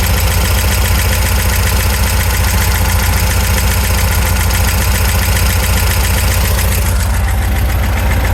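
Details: VW Super Beetle, 1679 cc dual-port engine, at steady idle: light tapping knock three to four times a second; owner suspects it comes from around the oil pump, more noticeable from underneath.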